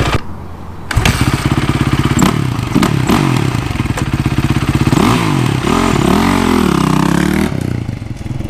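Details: Yamaha YZ450 four-stroke single after full rebuild and timing chain replaced (old stretched chain caused ticking): revs blip up and settle back cleanly, no tick or rattle; engine much quieter, normal running after repair.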